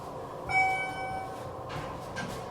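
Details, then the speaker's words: Ride in a poorly maintained Schindler 300/MT elevator in a Norfolk, VA parking garage: short high squeal then dull thumps and bangs, squeak-squeak-bang-bang; flat-spotted wheel suspected. "One of them was broken. One of them was low on oil. One of them went squeak, squeak, bang, bang."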